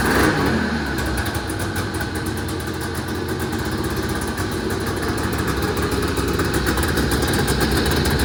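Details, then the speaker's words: 1980 Yamaha Exciter two-stroke snowmobile, revived after sitting 19 years, first test run after tank cleaning, throttle cable swap and premix added to the tank: crisp even burble, light revs, smoky, no misses or rattles; running normally. "all right there you have it guys it's always a good day when you get to fill the shop with smoke I love it man"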